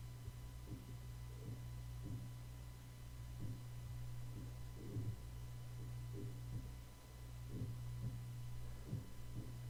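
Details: Soft dull thumps about once per second over a steady low hum in a quiet room, picked up by an Audio-Technica AT2020 microphone during a background-noise recording: a dying computer hard drive.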